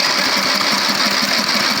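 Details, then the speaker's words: Fifty-dollar riding lawn mower being built into a go-kart, new battery, rewired negative cable, added gas tank and new spark plug: steady rapid starter churning with even compression pulses, never catching; cranks but won't start because it has no gas. "Stop it. Well, it'll crank. There's some more gas. And I know what's wrong with it. It ain't got no gas in it."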